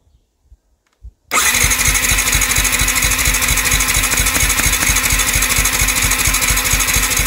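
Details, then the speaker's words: Yamaha WR 125 single-cylinder motorcycle during compression test, right after valve clearance adjustment (exhaust 0.20 mm, intake 0.10 mm): starter spins fast and evenly with soft light compression strokes, no firing; just under 4 bar, low compression. "niecałe 4 bary kompresji No to kiepsko"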